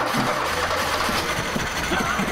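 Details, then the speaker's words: Porsche 924 abandoned about 20 years, not run for 18+ years, with the fifth (cold-start) injector unplugged because it was suspected of flooding. The engine runs lumpy and uneven, with irregular stumbles over a coarse clattering idle; the cause is not pinned down. "oh that sounds like a Model T God that sounds absolutely atrocious"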